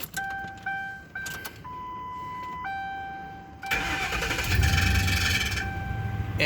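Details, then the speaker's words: 2008 Ford Crown Victoria with code P0351 and no power to one cylinder's coil: dash chimes, then a harsh churning crank with a rough clatter as it fires; the mechanic suspects contact at the flex plate, not confirmed. "he probably need to get that effects flex plate changed out too because it's making a lot of contact with something that's going on when you start just heard that noise"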